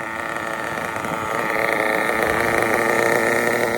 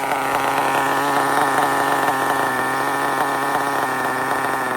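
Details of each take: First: RB CE nitro engine with sealed back plate, in a drag car: steady fast even buzzing idle with no misses or surging; normal idle, well tuned. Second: RB sealed-back-plate C nitro engine in an RC drag car, running on the stock carburetor setting without tuning, holds a high, buzzy, fairly steady pitch that sags slightly at the end; it is a little lean down low.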